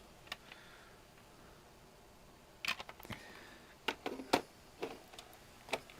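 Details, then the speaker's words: TurboGrafx/Turbo CD drive being recapped and laser-tuned, with potentiometer voltages being adjusted: loud, repeated sharp chirps and clicks every half second that never settle into a steady spin. The drive fails to read the disc. "It makes a lot of noise. It's very loud. Chirping. Chirp chirp chirp chirp chirp chirp chirp. And it just doesn't sound right. It should chirp for a second or two and then spin and be reading properly."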